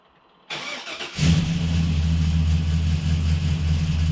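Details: Chevy Blazer after transmission repair, restarted next day to check fluid; starter whirs briefly, engine catches at once and settles into a steady even low idle, later test-driven fine: normal start and idle.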